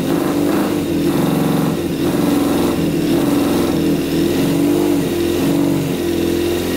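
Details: Custom Yamaha Banshee fitted with a 600cc four-cylinder sport bike engine, all plugs sparking and carbs fuelled: lumpy, choppy revving with only the two outer cylinders running; carburettors to be checked. Misfire on two cylinders.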